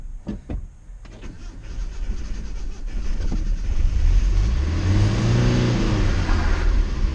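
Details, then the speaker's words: 1991 Nissan Hardbody with 2.4 L KA24E engine, after new head gasket, timing chain and oil pump, started via push-button starter: catches into a lumpy, uneven low rumble that never smooths; rough running. "just to for warn you guys it sounds like crap but I'm completely thrilled by it"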